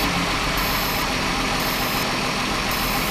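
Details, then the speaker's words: 2009 VW Touareg 3.6L, under the hood at idle: a loud, steady airy hiss from an internal intake air leak, with fluctuating rpm and system-too-lean codes on banks 1 and 2. "so let me take you under the hood you can hear a loud hissing noise we'll go from there"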